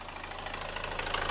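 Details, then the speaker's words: Hyundai Starex diesel after cold start, revved gently: fast, light ticking over the clatter from valve lifters still short of oil, possibly from an oil pump problem; the noise fades once oil reaches the lifters. "At yung valve lifter na yan, tatahimik din po yan kapag ka nakaakyat na yung langis doon sa ibabaw, doon sa mga lifters."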